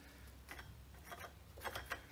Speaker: kind of love it to click in place that's the ball bearing and the Springs